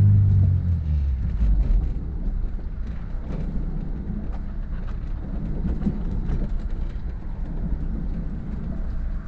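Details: Honda S2000 driving after high-rpm misfire fixed: deep steady exhaust rumble pulling cleanly through the revs, no stutter or popping, firing evenly; normal engine under acceleration.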